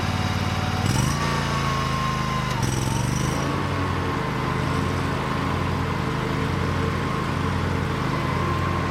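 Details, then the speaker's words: Bobcat Predator Pro zero-turn with Generac engine after repair for power loss in tall grass, blades sharpened and balanced, under cutting load: steady strong note with blades whirring, no bogging or speed dips; healthy, believed fixed. "I was trying to make it bog down and I couldn't. Anyway, I think we got it fixed."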